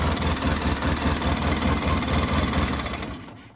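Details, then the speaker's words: 2005 Polaris Ranger XP 700 at idle with the throttle position sensor unplugged: lumpy idle pulsing about 2.5 times a second, smoky, smelling of gas, check engine light on; runs rich and rough, eventual fix was cleaning TBAP sensor and throttle body. "TPS is disconnected put on the brake running idle much better but Rich look at all the smoke smells like gas we got thck engine light"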